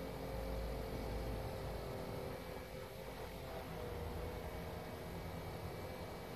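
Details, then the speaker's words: Small fan motor overvolted at 7 volts through a buck converter, reading 120 degrees against its normal 90–100: a loud, steady whirring drone with a strained edge as the motor overheats. "the fans not happy with that all right so we've got seven volts here it's reading 120 degrees"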